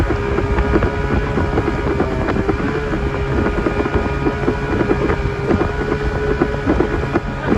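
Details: Old Evinrude 20hp two-stroke tiller outboard on an Askeladden 430 boat, under way after a prop swap (this prop also slips): strong, even drone at steady revs with wind and water noise, pulling cleanly at almost 20 knots.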